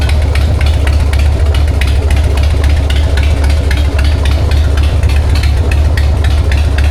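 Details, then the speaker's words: 1999 Harley-Davidson Sportster 1200 with S&S Super E carb, after cleaning and replacing the accelerator pump, which was the issue; started choked, idling in neutral with a deep, steady, even V-twin lope and no misses or knocks. "You can't tell me you don't love that sound. That is a 1999 uh Harley-Davidson Sportster 1200 with an SNS carb."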